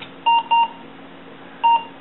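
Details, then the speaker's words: Supermicro desktop with a Pentium III Coppermine 733 MHz and 64 MB SDRAM, stored six years in a shed: at POST, two short high beeps, a pause, then a third, with a "CMOS settings wrong" message. POST error beep. "Okay. CMOS settings wrong. Let's see if I can auto adjust this."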